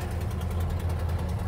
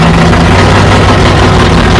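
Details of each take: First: 1969 Plymouth Barracuda V8, just started after heavy cranking: rough, lumpy idle with a low chuff under each firing pulse from a bad exhaust manifold leak; the new gasket failed because the manifold is warped and needs machining. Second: 1969 Plymouth Barracuda 440 V8 idling after the fuel problem was sorted, fuel pressure about 8 psi and plenty of oil pressure: loud, deep, even burble with no knocks or misses; back to normal.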